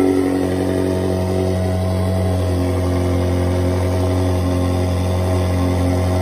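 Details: Ferrari 360 V8, first start after full engine rebuild, oil pressure pre-built by cranking with fuel pump relays disconnected: smooth steady drone, even note, no knocks or misses; normal running.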